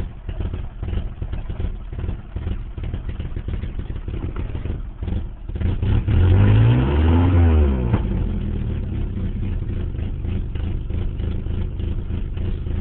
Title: 89 240sx rough idle